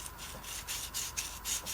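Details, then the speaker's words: Jeep steering shaft carrier bearing turned by hand during removal: harsh, dry rasping rub pulses because the bearing has no grease and is brittle, with a metal ring, plastic liner and needles. "how badly it is dry so i'm just curious if i can't get that bearing out of there"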